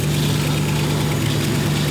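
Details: V8-swapped Ford Capri with a steady, deep idle and a big exhaust leak at the back and side of the 'pump' (as stated). A sharp chuffing edge rides on the firing pulses. Smaller leaks are also known; a new exhaust is planned.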